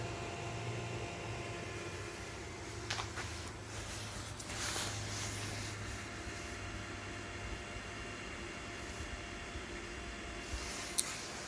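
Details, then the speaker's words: Costway 54 qt 12 V chest fridge/freezer, about 15 minutes after start, holding 23 degrees: faint steady low hum under room noise, no rattle or buzz; compressor running very quietly. "just makes a very light noise families into here very very quiet"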